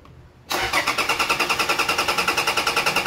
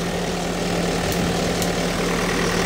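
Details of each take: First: 2012 Toyota Fortuner that died on the road: starter cranks at an even three-and-a-half beats a second, engine never catches; immobilizer fault, accessory wiring tapped into ECM suspected. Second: 2012 Toyota Fortuner diesel after fixing crank-no-start (died on road; suspected faulty accessory taps at ECM wiring) and clearing codes: steady, even idle with smooth low hum, no knocks or misses; normal idle.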